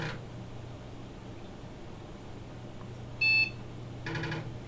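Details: Windows 98 PC rebooting from MS-DOS: single short high POST beep over a low hum, then a brief floppy drive seek rattle as it checks for a boot disk; normal startup.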